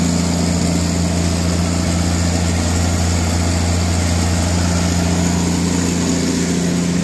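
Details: Katolight 110 kVA three-phase genset running outdoors: steady even low drone with constant hum, no knocks or misses; runs great and came up to temperature.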